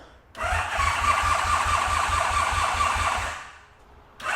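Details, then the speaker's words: Motorcycle sold as ex-fastest in the world, start attempt after oil change, voltage reading 12–14 V, ignition on, using choke: steady fast cranking about three to four turns a second for three seconds, no firing; engine cranks but won't start. "Let's see what happens when we push the starter button. Yes. Okay. Come on, buddy. Choke."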